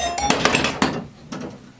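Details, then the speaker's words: Williams Electronics' first solid-state pinball machine playing its startup melody on aluminum-bar chimes: bright struck notes, one near the end slightly off pitch; one bar suspected out of tune with the others. "I think the second to last note was off. But anyway. Oh, come on. Well, yeah, that sounded a little bit out of tune too, right there."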